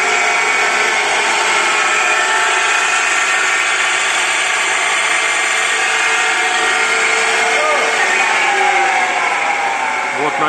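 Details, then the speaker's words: Rear differential on BMW X4 F26 at 90,000 km, car running on a lift from zero speed: steady whine over drivetrain hum rising as the wheels spin up; oil starvation caused by the oil-restricting feed bushing. "вы слышали как редуктор будет гул слышно вообще со скорости с нуля"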